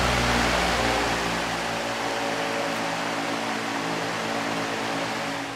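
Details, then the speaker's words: Patton 18-inch U2-0018 high-velocity fan with a four-pole PSC motor, running on high after its blade pitch was increased, which made it quieter and raised the airflow: a steady even rush of air with a smooth low hum and no rattle. "but it increased the airflow and quieted it down a lot so I'm pretty happy with that"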